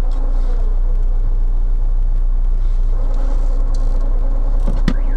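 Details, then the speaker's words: Lada at Lada service under warranty, idling, clutch pressed then released: steady low rumble with faint uneven rattling whir once clutch is out; worn input shaft bearing, input shaft replaced as assembly. "вот смотрите сцепление выжато отпускаю сцепление слышно как работает подшипник"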